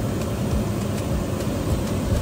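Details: Friedrich V-Tac unit after replacing its dual-shaft motor, which drives both the blower and the condenser fan, plus the blower wheel, run before refitting the top: even, low whoosh with no scraping or ticking. Normal blower and condenser fan operation.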